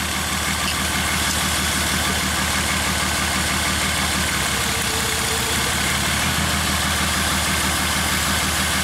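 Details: 2003 Honda Odyssey V6, earlier fuel injector replaced, owner felt shudders on a long trip, catalytic converter glowed red-hot: uneven loping idle, one coil giving no contribution on drop test; dead-cylinder misfire, faulty ignition coil.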